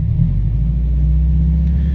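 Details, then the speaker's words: Lifted Subaru Impreza GC8 after replacing plugs, plug wires and an ignition coil: smooth even idle with no stumble, miss or near-backfire on throttle blip, no longer shaking; normal idle after misfire repair. "is how smooth it is now before i would kind of blip the throttle and it would like almost backfire let's see and [Music] it's not shaking anymore"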